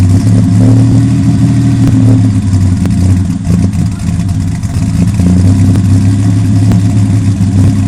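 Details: 1997 Ford Ranger XLT 4.0 V6 with Flowmaster American Thunder dual exhaust, misfiring: a loud, deep, throaty idle with an uneven, stumbling beat and occasional dropouts.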